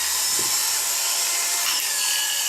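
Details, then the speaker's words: Oster A5 clipper after repair, brushes seated, running at high speed: fast, light, steady high buzz with no rattle or labouring; runs very fast and barely makes any noise, normal. "that sounds beautiful. It barely even makes any noise."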